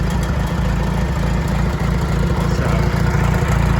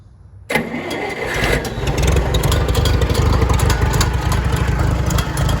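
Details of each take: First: IH 424 gas utility tractor with large-bore carburetor jet, rain cap clanging at startup: deep, steady low thumping at idle, about three to four beats a second, even throughout; strong, healthy-running engine. Normal idle. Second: IH 424 gas utility tractor at start-up, rebuilt starter, large bore carburetor jet making it smoke more; runs rough and lumpy with loose uneven metallic clanging from the exhaust rain cap flapping until the engine smooths out.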